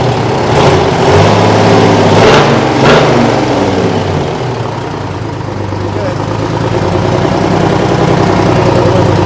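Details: Kenworth/RFW 6x6 garbage truck, two-stroke Detroit 6-53 diesel with no muffler, revived after sitting at least four years: loud, even, rapid exhaust bark holding steady without misses or knocks; healthy running.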